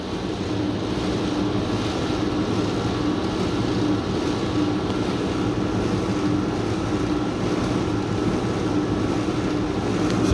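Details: Milkshake machine draining product during its cleaning-day shutdown; steady, even motor drone with a light whirring hum and no knocks or surges. Normal running.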